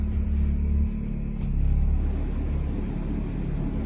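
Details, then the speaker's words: RV air conditioner fitted with a Micro-Air EasyStart 364 soft starter, powered by two Honda EU2000 generators: low generator rumble swells briefly as the compressor picks up, then settles evenly; normal smooth AC start. "There's the first one. We'll give it a few seconds for the condenser to fire up too."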